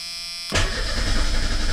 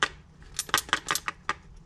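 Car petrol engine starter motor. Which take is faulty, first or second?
second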